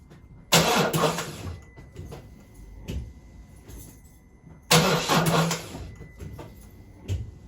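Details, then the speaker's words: Car after its drained battery was cranked repeatedly to flatten it: two short, weak cranking bursts die away without the engine catching; a failed start from a flat battery, as on a cold morning. "so there we have it that would have been a failed start on a cold morning"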